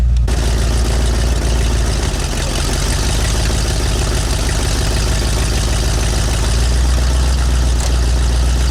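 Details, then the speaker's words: V8 with speed-density injection and an oversized cam, idling on new Cherry Bomb Turbo mufflers replacing glasspacks: deep, even low rumble with steady firing and no knocks or misses; normal, healthy idle. "all right so here's what the cherry bomb turbos sound like yeah gone is that cool rumble at the glass packs had but it doesn't sound bad at all"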